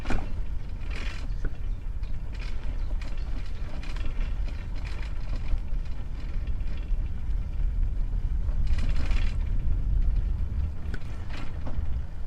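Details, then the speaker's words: Sparta Apollo bicycle with a Shimano 3-speed hub, damaged in a crash, ridden over a rough mud road: a loose, tinny rattle and clatter on every bump as the front mudguard shakes against its stays. "Mud road. And now you will definitely hear that front mudguard rattling."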